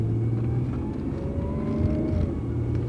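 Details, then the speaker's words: 2005 Honda Odyssey, 231,000 miles, driving: under the engine's low rumble a faint whine rises in pitch when accelerating and stops off the gas; a slight transmission whine under torque, shifts still smooth, transmission in fairly good shape. "And other than that, slight whine when you accelerate, which goes away when you take your foot off the gas."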